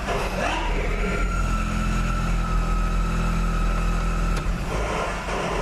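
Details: Jeep with NAG1 (722.6) automatic transmission, heard from inside the car: a steady droning whine with a rattle underneath in reverse at standstill, also in drive; the cause was a stripped pump stator where it fits into the torque converter.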